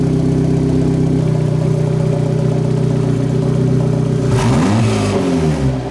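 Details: Turbo-build car after downpipe fitted: smooth, even idle, lower than its usual idle, for four seconds, then a clean rise in pitch revving freely without stumble or bog; normal idle and free revving.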